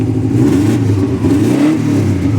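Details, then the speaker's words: Prodrive Impreza STi turbo flat-four after mild build, first restart after long sitting: clean pickup on light throttle blips, even burble, no knocks or rattles or leaks; healthy but running a bit rich, needs mapping. "sounds good sounds very very good oh he not been running a while so nice need to get mapped it's a bit Rich"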